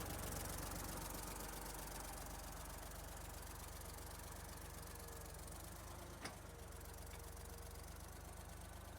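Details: 1972 Ford 3400 backhoe tractor, diesel, after restoration: steady low idle with an even clatter about four beats a second, no heavy knocking; engine sounds healthy.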